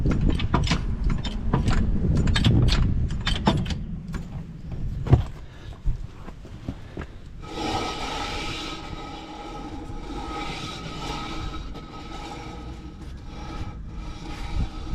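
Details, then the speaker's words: Volkswagen Beetle unstarted for about a year, rear wheel lifted and spun by hand: rough, uneven scraping clicks then a squealing drone from the applied parking brake dragging, masking any bearing noise. "The noise of the parking brake, I can't really hear if there's a bearing problem."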